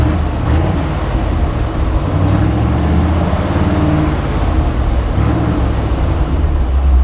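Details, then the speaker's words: Grain truck V8 with new dual exhaust, unloaded at idle; deep even rumble with a throaty bark, no leak puffing or ticking; reported to run far better since the work; normal exhaust note. "Yeah, she got a little bit of a bark to her. I bet it sounds good loaded."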